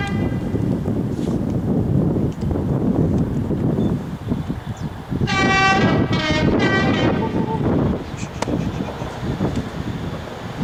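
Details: Class 37 locomotive 37261 towing failed Class 66 66302 past Stafford; heavy rumbling roar with rail clatter and a horn blast; harsh loud noise from the dragged dead locomotive, cause unclear.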